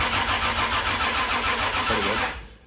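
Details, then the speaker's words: 2JZ-engined KE70 Corolla drift car, first start, on the starter with a battery from a VN: the engine grinds over slowly and unevenly, each high-compression stroke dragging it down, weak-battery slow cranking until oil pressure comes up. "It's got a lot of compression because this battery is what come out of the VN, and the VN cranks over so fast. This thing, she's struggling to turn it over."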